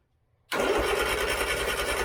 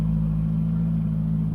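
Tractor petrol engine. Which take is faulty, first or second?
first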